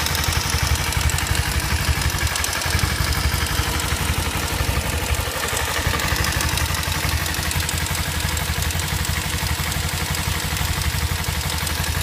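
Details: Kawasaki Ninja motorcycle at idle: light, fairly quick ticking at about three per second over a steady idle; the source is unknown.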